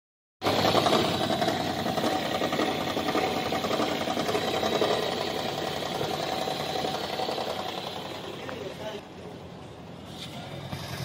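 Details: Toyota Prius hybrid misfiring on cold start after sitting overnight: rough, loud chattering run, uneven exhaust pulses, engine won't take load; misfire traced to valve clearances (tappets) set too tight, smooth and quiet after adjustment.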